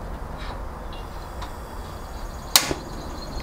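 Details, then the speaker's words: Gas One dual-fuel camping stove on butane, canister locked with no hiss; knob turned to the ignition switch gives one crisp piezo snap, then a short soft rush as the burner lights right up. Normal piezo ignition and burner lighting. "and as you can see the stove lights right up"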